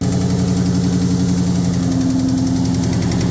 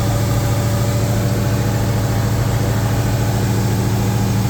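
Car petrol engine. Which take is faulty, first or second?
first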